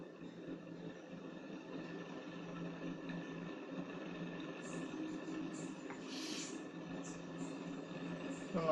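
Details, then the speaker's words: 1991 Orient Deluxe ceiling fan, motor base removed, coasting after a hand push: rough, uneven hum with faint scraping instead of a quiet spin; one bearing in bad condition, to be replaced. "So now the fan is making noise. The one bearing is in bad condition, so I am decided to change the bearing."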